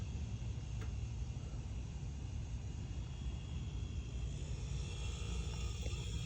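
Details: Refrigerator compressor run directly from a jumper lead with the control board removed: a low, steady hum with an even rumble and no clicks or cut-outs. It runs fine on direct power; with the board installed it would run and then stop.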